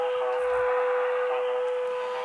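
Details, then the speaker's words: Modified AliExpress AM medium-wave transmitter with its oscillator deliberately miscalibrated, heard on a nearby radio tuned to BBC 693 kHz: a steady, pure mid-pitch whistle. This is the heterodyne beat between the off-frequency oscillator and the station. "and that's because um our oscillator is off frequency with the BBC on 693 and they should be pretty accurate so we're creating a heterodon in between our oscillator just with a radio near enough to it and the BBC"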